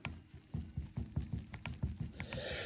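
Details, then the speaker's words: VW T5/T6 DSG inner CV joint on the drive shaft, held in a vise and worked by hand after a slack knock off-throttle: loose hollow clacking from worn internal play; joint is shot, drive shaft to be replaced. "So that's shot."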